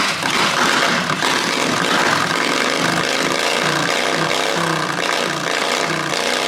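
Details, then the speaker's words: Predator 670 V-twin in a John Deere 214 mud mower, cold start, muffler with only packing and no baffle: a loud, raspy bark with a harsh crackling edge, loud exhaust from the missing baffle. "this is the muffler without anything in it just the the packing there's no baffle no decibel killer so here's here's what it sounds like without that in there"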